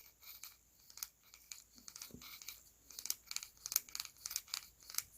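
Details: Axial SCX10 III RC crawler transmission turned by hand before greasing: dry, thin plastic clicking and rattling in uneven bursts, chatter and slop between two-speed and dig function gears; grease quiets it.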